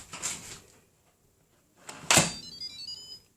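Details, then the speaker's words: Instant Pot Duo Evo Plus 8 quart during water test, lid turned to close: a clunk then a short bright musical chime that fades; lid locked, automatically set to seal, normal. "Okay, so whenever you close the lid, and you heard the little music, the little chime, when it closed, it automatically sets to seal."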